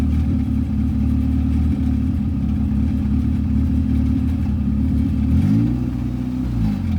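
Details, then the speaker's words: Big-turbo F23 Honda Accord after oil pressure gauge install, restarted: steady low idle drone that sags and wanders, idling lean; owner suspects injector or fuel pressure regulator issue, tune still pending. "I think I have an injector issue guys or for fuel pressure regulator because there's times they'll just idle lean like this"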